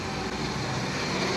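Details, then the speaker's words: Nissan Sentra with replacement ECU, engine idling, A/C compressor switched on and engaging, idle loading down, no check engine light: steady even idle under low rumble; normal idle with A/C compressor on. "Buksan natin yung aircon compressor. Ayan, gumana yung compressor. At nahirapan nga siyang umikot, bumigat."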